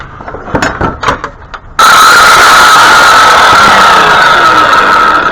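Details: Hyper Tough 12 amp 7-1/4 in circular saw, shown still working: handling knocks, then motor spins up to steady even high whine without wobble or grinding; normal running.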